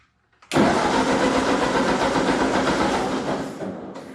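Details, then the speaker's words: Ford 8N tractor that would only sputter, after a riveted ignition part was pivoted about 1/8 inch: the engine catches with a roar, runs roughly about three seconds, then dies. The owner suspects it needs choke; cause not confirmed. "so i just had it running perfectly so i guess we're not done yet that's crazy it was just running perfectly"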